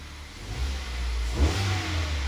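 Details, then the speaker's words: Kia/Hyundai petrol engine, not fully warm, after new coil pack on cylinder 3, new spark plugs, oil and antifreeze top-up: light revs rise and fall cleanly with crisp pickup, no misfire or smoke; runs sweetly. "No smoke or nothing. But there we go. Sounds lovely."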